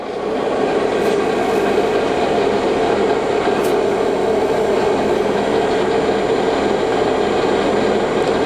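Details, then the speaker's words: Supertec STC-12 centerless grinder (1985, 5 HP grinding wheel motor, 1,900 rpm spindle, wired 220 V) just started, grinding and regulating wheels turning same direction: steady rushing mid-pitched drone, no knocks or surging; running smoothly. "so as the grinding wheels turning this way the regulating wheel is turning the same direction"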